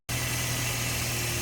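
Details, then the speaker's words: 2006 Scion xB after new spark plugs, cleaned MAF, air filter, intake piping and throttle body; slow to fire up, then a steady, even idle with no misses or hunting; normal idle. "I mean it sounds much better but I don't know why it took a while for it to fire up like that"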